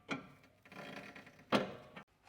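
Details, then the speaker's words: Chery Tiggo 7 Pro at 30,000 km, front left, car on the ground being rocked: rubbery creaks and squeaks in bursts from the rear bushing of the front control arm working its way out. "Задний саленбвок переднего рычага. Как вы видите, он стремится вылезть. Вот я его поправил. Вот он ушёл и сдаёт и сдаёт мерзкий скри."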